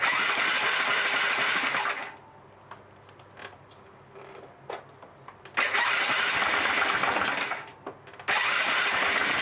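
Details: Honda Super Cub 50 Custom with 26,000 km, bought as a non-runner with an apparently modified engine, first start attempt after carb cleaning with air screw at 1¾ turns out: two ~2 s bursts of fast, even cranking, but it never catches.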